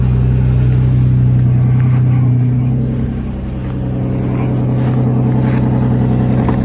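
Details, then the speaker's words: 2004 Nissan Maxima with stall/fast idle problem, cold start after wiring repair restored crank and cam signals: smooth, even drone at about 1500 rpm, dipping briefly then steadying; high cold idle, owner suspects it is relearning idle. "it's idling a little high it's about 1500 rpms right now but it's cold it's probably relearning its idle too"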